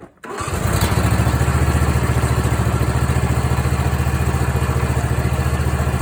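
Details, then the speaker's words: Mower after repair: magnetic clutch damaged by a loose bolt, bolt tightened, wire plugged back in, belt and spring refitted. Clutch test: engine catches and settles into a steady, even beat with no knocks or slipping. Sounds good, normal running. "All right, see if we have any reaction from the clutch. Sounds good."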